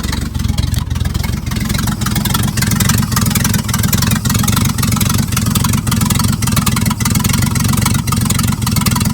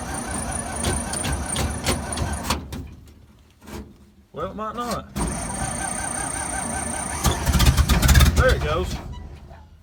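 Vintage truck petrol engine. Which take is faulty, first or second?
second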